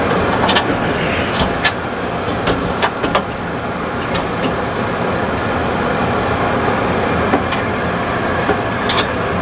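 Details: About 20-year-old 48-inch chicken house exhaust fan running just after its worn pillow block bearings were replaced: a steady, even roar with no knocking or scraping and only a few stray clicks; normal running.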